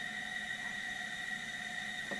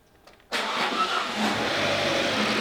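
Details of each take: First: High-mileage Alfa Romeo MultiAir engine, lowest-compression cylinder at TDC compression stroke, leak-down test with engine off: steady loud hiss of high air escape, felt coming back up; head gasket leak confirmed, head removed to replace gasket. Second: High-mileage Alfa Romeo with no compression, first start: brief crank, catches almost at once, steady fast idle; clean healthy start, though a squeal follows, source unknown (alternator or timing belt suspected).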